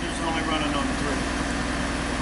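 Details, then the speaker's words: 1988 Oldsmobile Cutlass Ciera, 2.5 L four-cylinder Iron Duke, waste-spark ignition, cylinder three reported misfiring, at idle: lumpy, loping idle with a regular stumble each cycle, a hard miss; one cylinder dead. "definitely a hard Miss so in the data here we're probably not going to get anything useful terms of uh the four cylinders"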